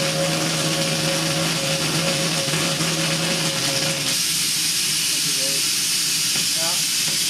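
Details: New vertical test boiler, pressure above 140 psi, main safety valve set around 150: loud steady roaring steam hiss with a faint whistle, then a tone change, main valve lifting at set pressure.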